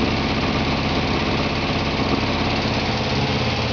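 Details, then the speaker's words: 1949 Morris Minor barn find, first start with hot-wired coil, fuel poured into the carburetor and cold-start spray: rough, uneven lumpy idle firing on three cylinders; later misfiring and running lean as the float chamber empties. "Oh, that sounded good. That sounds good. Come on, baby. Firing on three cylinders, but yeah."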